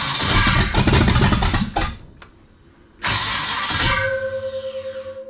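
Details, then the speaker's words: Big block V8 in a 1956 Chevy wagon, first start after sitting without a motor for years: a rough, grinding crank for almost two seconds before it catches; the starter is not shimmed correctly. "definitely a starter is not shim right"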